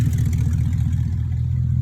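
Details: 2002 BMW 745i V8, flood-damaged electrics, after power control module swap: deep, heavy throbbing rumble with no muffled softness, open uncatted exhaust droning far louder than stock; catalytic converters removed and sold.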